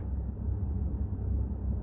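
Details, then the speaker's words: Volkswagen Jetta 6 idling: uneven low knocking rattle from a worn dual-mass flywheel; pressing the clutch pedal makes the knock disappear, releasing it brings it back. "Вот как вы выясните, маховик ли у вас стучит или что-то другое. Нажимаете педаль сцепления, и если вы слышите, то сейчас все пропало."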